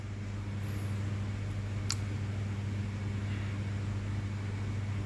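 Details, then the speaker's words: Old-wiring ceiling fan wired directly to supply line, bypassing switch, to test; runs very slowly with steady low mains hum and lazy air rush; capacitor judged faulty, to be replaced. "ஃபேனோட speed பாருங்கள், ரொம்ப ஸ்லோவாக தான் ஓடுற மாதிரி"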